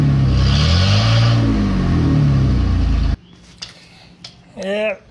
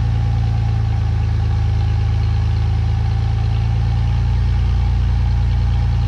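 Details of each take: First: 2017 Ford F-150 5.0 V8 with only one catalytic converter installed and no muffler: deep, loud rumbling exhaust that swells with a revving blip, then cuts off; louder than hoped, so a second cat is planned. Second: 2017 Ford F150 5.0 V8 after new catalytic converters fitted, air pump and return line removed, a vacuum line plugged. Deep, even V8 burble holding steady with no ticks, rattles or exhaust leak puffs; truck idles normally.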